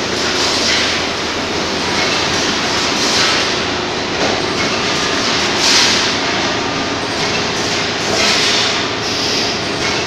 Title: Carriage Down Vibration Problem